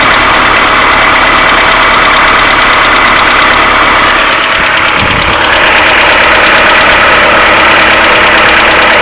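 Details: Mercedes A-Class W168 1.6 petrol, cold engine idling without throttle: fast even ticking about three per second from hydraulic valve lifters, plus continuous timing chain tensioner hum (tensioner to be cleaned or replaced); fixed by replacing the hydraulic lifters.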